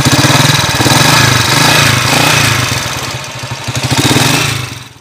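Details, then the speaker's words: Yamaha Mio Sporty scooter engine before rebuild, previously knocking after being returned to stock: busy, rapid mechanical clatter over a rough, uneven single-cylinder idle from noisy timing gear, plus a heavy leak; later quiet after new original parts. "parinig ko muna sa inyo yung andar niya kanina number one maingay timing gear tapos kalakas ng tulo"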